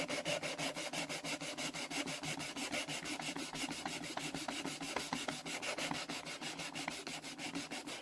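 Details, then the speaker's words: Deutz engine cylinder head, valve being lapped by hand: steady back-and-forth rasp about three strokes a second, smooth rather than gritty; lapping paste no longer biting. "I can hear that that's not really biting much anymore. So I think this might be alright."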